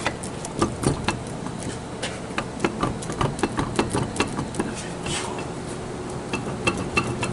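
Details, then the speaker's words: 2007 Chevy Impala 3.5 with steering pull, grinding and shaking. Sharp metallic clunks come two or three a second as the raised passenger front wheel is rocked by hand: a worn wheel bearing with play. The other side is fine. "so that's a bad wheel bearing okay this one here he shake this one nothing happens so this here needs a wheel bearing on this side well I could really shake it too you can hear it so this wheel will fall off if it gets worse"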